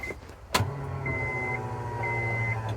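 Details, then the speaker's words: 1998 Acura Integra GSR right after a fuel pump replacement; it had needed extra cranking since an injector swap. A click, then a steady hum with a faint whine for about two seconds; louder, Walbro-like pump priming normally. "Oh, that's significantly louder. Yeah, that sounds like a Walbro."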